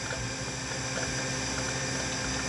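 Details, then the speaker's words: Heavy old SCSI hard drive from a Bell & Howell Apple Disk II case, connected to a classic Mac and loading Carmen USA: a steady spinning whir with quick light clunking seek ticks scattered through it; normal seek noise. "the sound of that scuzzy clunking away there"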